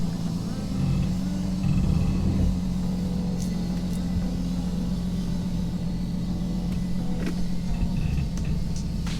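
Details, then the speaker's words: Lexus GS300 with naturally aspirated 2JZ six, after fixing a coil-pack wiring/water misfire: steady, even low rumble with constant hum and no stumbles in park and gear; VCT light stays off, no misfire returning. "VCT light never came on it's a parking brake so that's good it ain't misfiring again so we might try to take it another quick drive around the block"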